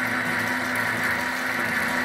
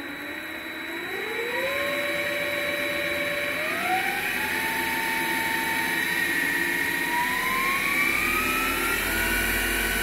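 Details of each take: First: MX 8x14 mini-lathe running unloaded with the metal change-gear train engaged: loud steady high whirring and gear clatter, far noisier than without gears, where the whine is suspected to be the three-phase PWM motor controller; metal change gears are not quiet. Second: MX 8x14 mini-lathe spindle running with no gear train engaged and no cutting load, after slotting motor mounts to relieve an overtight belt; steps up to a steady, even run with a thin high-pitched whine, thought to be the PWM three-phase motor controller.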